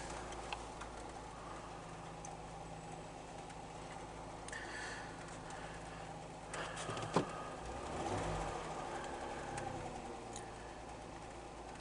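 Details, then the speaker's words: 2007 Jeep Wrangler JK after throttle body cleaning and throttle body relearn: quiet, steady idle hum with no misses, surging or knocks; no trouble codes. "so let's go ahe and start it up of course uh with the key on you can see we've got our symbol there but hopefully that'll go out make sure it's idling good seems to be idle and"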